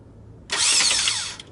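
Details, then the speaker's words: 2001 Toyota Sienna replacement starter bench-tested off the engine before install: sharp high whir spinning up instantly, running evenly about a second and winding down cleanly; normal starter spin. "it's hitting stuff then there all right it's working so I'm definitely gonna put it in"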